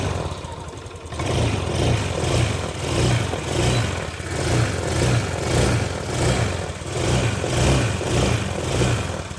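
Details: Honda Beat F1 scooter started right after valve clearance adjustment, magneto cover still off; catches after a second and settles into an even, steady idle with a gentle regular pulse and no ticking, healthy.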